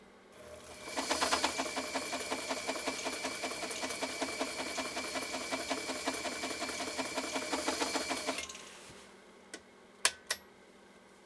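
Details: Elgin 2468 Japanese 1.3 amp sewing machine, stitch length set too long while the stitch width is worked by hand; quick, even needle clatter at a steady pace for about eight seconds, then stops, sounding healthy.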